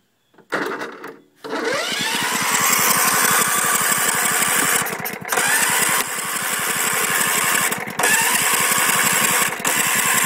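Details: Husqvarna LTH140 lawn tractor with Kohler engine: the starter churns the engine evenly at about four strokes a second but it never fires; crank, no start, said to need a coil.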